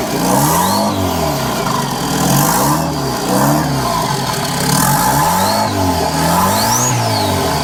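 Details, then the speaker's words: 1998 Chevy Tracker (Suzuki Samurai) turbo install, after oil feed primed and drain line fitted: engine revved several times, rising turbo whistle on each rev falling back as it drops; turbo spools normally. "All right, I got my drain put on, so we should be good to go. Oh, she's spinning."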